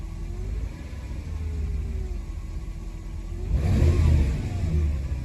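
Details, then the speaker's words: Mercedes W124 E420, M119 4.2 V8, hunts unevenly, then surges into a sudden rev with an uneven low rumble. Owner is unsure and plans to check the other distributor cap. Rough running and surging. "oh it's starting something it was just shaking there a second ago"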